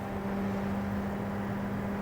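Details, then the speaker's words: TO7I 14B9015 small desk fan, bearings oiled years ago and gumming up again: steady motor hum with even whir and slight buzzy vibration; small light blade badly out of balance, noticeable vibration felt. "I can feel a fair bit of vibration, and if a blade this small and this light is creating vibrations, then you know it's got to be pretty badly out of alignment."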